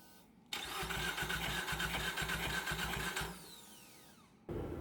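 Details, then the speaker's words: Heavily boosted, rebuilt Nissan X-Trail engine cranked after a 30 PSI, 537 hp dyno run with water from the overflow: starter cranks at about four beats a second for three seconds without firing. Pressure test confirmed coolant entering cylinder 2 from a lifted head. "We pressure tested the radiator. Sure enough, water's going into cylinder 2."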